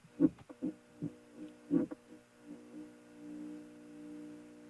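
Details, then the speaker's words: Stromberg Carlson Model 340-F console tube radio, new capacitors, low end of tuning dial: slow uneven throb rising and fading under steady hum about every 1.5 seconds; pulsating oscillation/interference rather than true motorboating, cause unknown. "i mean that's pulsating more than motorboating motorboating is you know that put put put"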